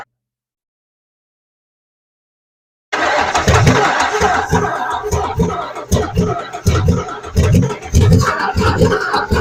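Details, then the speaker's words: Abandoned 1980s Camaro drag car, 350 V8 freed after being locked up, after distributor bolt loosened and turned: silence, then lurching uneven loping pulses and dropouts; four or five cylinders not firing, owner suspects plugs or wires. "got two down on this side that one feels like I fired at least once that one hadn't fired that one hadn't fired and that one has fired a couple times BR one so she's down at least four or five of the cylinders"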